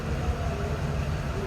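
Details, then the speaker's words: 1937 Ford Model 74 Tudor flathead V8 on a 6-volt system, started without choke after indoor storage, heard from the tailpipe: steady, deep, even rumble with no misses or uneven pulses; the flathead idles smoothly. "Smooth running flatty."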